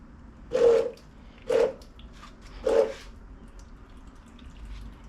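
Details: Buick 3800 from a 2006 Pontiac Grand Prix, rebuilt with a new camshaft and lifters, during a homemade oil pressure test at about 25 psi: three slow, uneven drips about a second apart as primed oil drains out the bottom, as expected.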